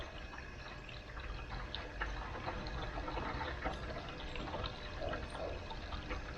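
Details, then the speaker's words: Air source heat pump water circuit with poor pipework, pump restarted after being briefly switched off. Irregular gurgles and a trickling rush are heard as trapped air bubbles pass through; air locks recur after every filter clean. "switch the pump off for a second let all the bubbles join together again and turn it on again and you can hear it here the bubbles coming through"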